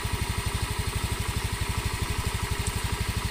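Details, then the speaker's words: Honda Scoopy after repair of a cracked piston, blamed on a non-standard Vario carb 110 piston raising compression. Tested about 10 km: even low putt-putt idle, stable cold and hot, no knocks, no oil seepage. Normal idle. "mesin suara tetap stabil tidak ada perubahan suara dalam arti dingin halus panas kasar ini tetap stabil suaranya tetap stabil tidak ada"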